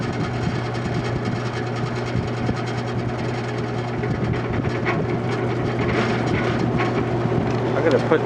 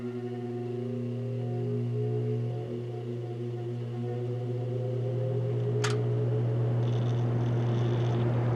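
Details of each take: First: Vintage General Electric 3-speed reversible box fan, found discarded and once nearly seized, on high after years unused: steady low motor hum with faint uneven rattle as it spins up; dry motor bearings need oil. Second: Vintage General Electric 3-speed reversible box fan, heard from the back during a run-up: steady low motor hum with smooth, even drone, no rubbing or rattle. Normal running.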